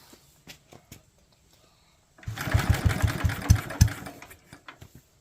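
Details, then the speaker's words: Locke mower cranked after checking the bowl stayed dry with no leaks and confirming spark: a few faint ticks, then about two seconds of uneven popping chugs that die away; trying to fire but won't keep running. "sounds promising"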